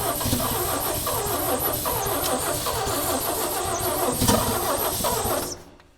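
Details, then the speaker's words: 1965 Chevy C-60 truck, 292 inline-six after backyard head-off rebuild and freeing rusted rings, valves set loose, fuel dumped in: uneven chuffing about four beats a second while cranking, maybe three cylinders firing instead of one before it dies. "She wants We got maybe three cylinders firing now instead of one."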